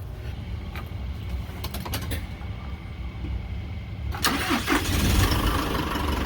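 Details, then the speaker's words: 2012 Isuzu with 4JJ1 diesel, after cleaning rust from crankshaft position sensor bore and refitting sensor: brief crank, catches quickly and settles to steady idle; previous long crank and intermittent rough running fixed. "Wow. Man. Looks like we got it."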